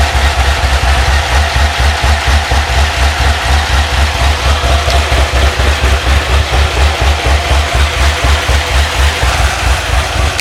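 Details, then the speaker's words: Procharged C6 Corvette Z06, 441 LSX with Mast heads after a problematic heads/cam install, E85 and methanol tune: deep steady V8 idle with even lope about twice a second, previous ticking no longer heard, engine shaking noted; healthy idle. "You were talking about ticking, right? Yeah, I don't hear it right now. Yeah. It's a lot quieter than what it was."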